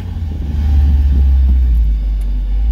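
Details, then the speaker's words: Mazda Miata just converted to manual, pulling away while driving; deep even throaty exhaust rumble with no rasp, knock or drone, oil pressure and temps fine; healthy exhaust note. "Got like that throaty little tone on it."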